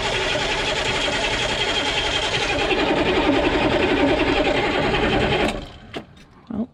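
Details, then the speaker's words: Humvee diesel after valve cover and fuel line work, cranked with the injector lines finger-loose, no fuel at the injectors yet: fast, steady starter churn of about 3.5 beats a second for five seconds; never catches. "nothing is coming out no fuel coming out at least not yet"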